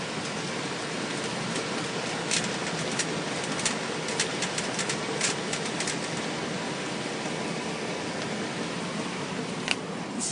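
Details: 2000 Cadillac Escalade, about 175,000 miles, creeping at low speed: sharp irregular clicks over a low steady rumble; transfer case had been dry and was refilled with gear oil; entire transfer case was ultimately replaced.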